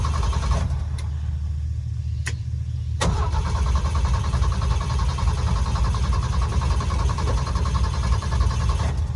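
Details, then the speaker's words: 1971 Ford F-350 crew cab straight six, just revived after 20 years sitting, fed from a one-gallon jug through a kinked hose: steady cranking churn that never catches; owner suspects flooding, fuel-feed or spark issue. "at least it's it's cranking i'm very excited about that at a minimum"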